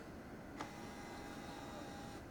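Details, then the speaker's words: Canon PowerShot SX160 AA-powered camera, corrosion in the battery tray: a thin, steady whir of about a second and a half as the lens extends; noisy zoom lens motor, common for this model. "Very common budget AA powered digital camera. Tends to have a pretty noisy lens, like a lot of the SX line."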